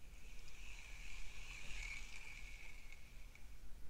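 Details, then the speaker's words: Recently serviced Shimano Stradic 3000 spinning reel, cranked as a comparison. A soft, even whirr while cranking with just a faint light hiss and no grinding or clicking; runs smooth and quiet. "You can hear it's not too loud, you can hear a little bit of stuff, but it's pretty quiet for the most part."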